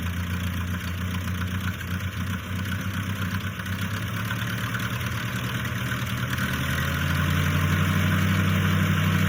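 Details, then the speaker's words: 1955 Massey Ferguson MF65 tractor with rebuilt carburetor, new points and spark plugs: steady low thrumming idle about four beats a second, smooth and even with no misses or knocks; runs healthy. "Wish you guys could smell what it smells like. Just varnish, rusty gas, but it runs awesome."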